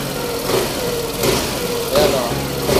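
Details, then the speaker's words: Suzuki Avenis 125 scooter that had no idle and stalled, after manual ISC calibration: small engine keeps a steady putter at idle with no stumbling or dying out; idle now holds normally. "Okay so Ayun lang mga Bossing Ayan may Menor na siya"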